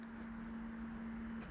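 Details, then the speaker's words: Audi TT non-starter after fuel pump installation, on a jump pack with dead battery, key cycled: steady low hum about one and a half seconds, then clean cutoff; fuel pump priming normally at key-on, though car still doesn't start. "there we go. I can hear the fuel pump now. Just cycle the key a few times."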